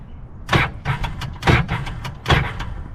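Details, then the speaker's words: 2005 Sea-Doo GTX that used to start: starter gives short heavy clunks, about three bursts in three seconds, and the engine won't turn over after a switch change and connector cleaning; engine locked by water in the cylinders (hydrolocked). "it's like locked up bro does not sound good at all that's that's a terrifying sound so um is the engine locked up"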